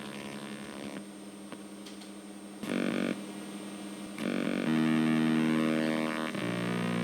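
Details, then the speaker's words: 8-bit sound card in a retro PC, running a game with a found Tech Solo driver; a steady electrical buzz with shifting pitch blocks comes out instead of music, suspected bus noise, and the card appears faulty and in need of repair. "Well, I'm getting a kind of weird buzzing coming through, probably from noise on the bus. I don't think that's actual music."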